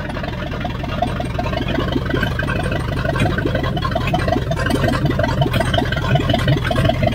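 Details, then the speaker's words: 1978 Chevrolet Nova V8, believed 305 two-barrel, partly souped up and abandoned 25 years: deep idle with uneven loping beat, about two to three lopes a second, then revs; lumpy idle, owner wonders if it has a cam, unconfirmed. "Well, guys, I'm wondering if this has a cam in it."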